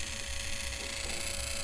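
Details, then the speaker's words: 24 V gear motor from a coffee vending machine, run on the bench at 24 V: steady mid-pitched whine over a low hum. Such motors can run noisy or hum with the pulley not turning. Noisy gear motor, cause not yet known. "कई बार कई तरह की problem हो जाती है जैसे motor चलती है तो ये आवाज़ करती है या कई बार ऐसा होता है दोस्तों की सर आवाज़ ही आवाज़ आती है और जो यह पुली है दोस्तों ये घूमती नहीं है"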